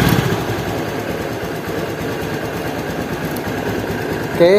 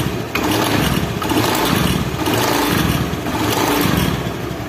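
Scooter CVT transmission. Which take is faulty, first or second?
second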